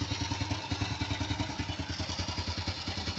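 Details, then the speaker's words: Older Honda Supra X motorcycle, apparently well maintained by its owner: steady, even single-cylinder putter at idle, no knocks or rattles; engine still sounds smooth, a clean, healthy idle. "Nih suara idle guys. Ya kalau lo dengerin suara mesinnya, lo denger suara mesinnya"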